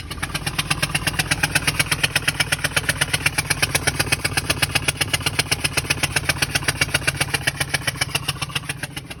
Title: 2014 Ford E-250 4.6 engine knocking noise